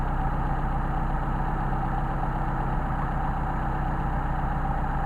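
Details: 190SL Solex carbs, engine about 20-some years old with many hours, during idle mixture adjustment: slow, uneven idle that sags and stumbles with a loping beat. The mixture screw is backed out too far, running rich and dropping revs.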